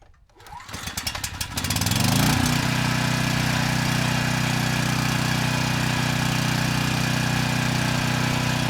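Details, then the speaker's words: Troy-Bilt 6,000 W generator after replacing failed burnt stator, voltage adjusted up to 118 V: quick pull-start flutter, then even steady drone with no knocks or rattles; normal running. "That was a lot better. The voltage, it came up to 118 volts. This time, the engine didn't make any strange sounds, and I don't smell anything unusual."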